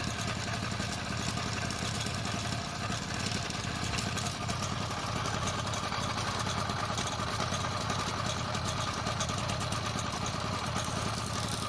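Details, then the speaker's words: Motorized bicycle two-stroke kit engine running steadily with a loose rattling clatter: bad chain links cause wobble and slap. Sprocket alignment was checked OK and the pinion was checked. "Spending 2 days trying to diagnose and find out why this chain wobbling so crazy and it's so noisy."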